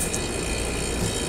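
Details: Refrigerator compressor that hummed then shut off from a bad capacitor/relay, after fitting a 3-in-1 start device: a steady, even hum with a constant whirr and no clicking, stalling or cycling off; compressor starts and runs normally.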